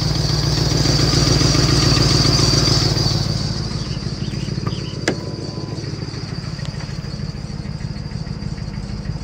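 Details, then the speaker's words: Clapped-out 2004 Mustang GT on a mountain road trip, after coolant reservoir crack repair and overheating: steady rhythmic knock about three or four a second over cabin drone, loud inside; suspected rod knock, unconfirmed. "nasty what sounds like rod knock still persistent"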